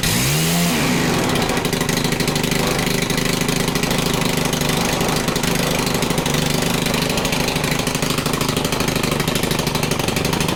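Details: Stihl FC 110 after fixing little-to-no compression, with freshly adjusted valves and oil in the cylinder that might foul the plug, held at full throttle: revs up within a second to a strong steady high buzz, no misses or sagging; runs healthy.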